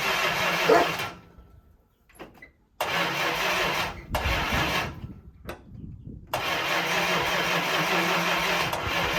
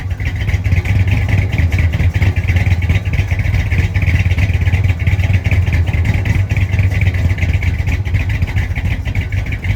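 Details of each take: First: 1965 Chrysler 300 with 383 V8, sat 17 years in California desert since 2005, first start on battery and a gallon of gas fed to the fuel line: several cranking bursts with pauses, then catches and settles to steady run; owner guesses timing slightly off. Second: 1965 Chrysler 300 with a 383 V8, revived after sitting since 2005, carburetor mixture screws set about 1.5 turns out, heard from the rear: deep, even exhaust burble with steady rhythm, no misses or knocks; normal running.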